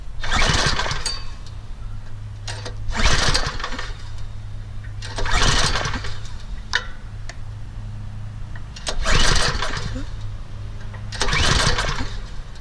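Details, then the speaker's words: Troy-Bilt Super Bronco rear-tine tiller, 208cc OHV engine with old gas and good spark: catches in short bursts on carburetor cleaner roughly every two seconds, then dies each time; fuel starvation, carburetor jet found clogged. "there we go took a few times this Troybuilt Super Bronco tiller did attempt to start but it won't keep running so we definitely got a carburetor fuel related problem"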